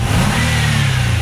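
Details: Nissan Altima race car after the alternator was plugged back in, charging with no flickering lights: engine pulls up smoothly through a brief rev with no stumble or cutout; normal revving.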